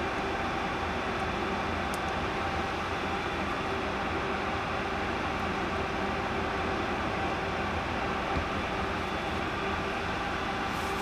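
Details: 1 TB 7200 rpm Seagate hard drive, not spinning and making noises, possibly a bearing problem; after a platter swap onto a good spindle and PCB refit, a steady, even whir with faint constant tones: the drive spinning normally at full speed.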